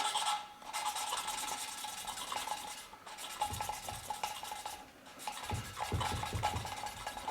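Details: Classic Mini 1100 Special cylinder head rebuild, hand-lapping valves with paste: coarse gritty rasp with each back-and-forth twist of the valve, showing the seat is not yet bedded in smooth.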